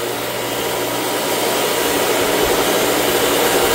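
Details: Three-phase motor run on single-phase power through a Vevor digital phase shifter, one leg about 40 V higher; steady, even motor whir over a constant low mains hum, no knocks or grinding: normal running.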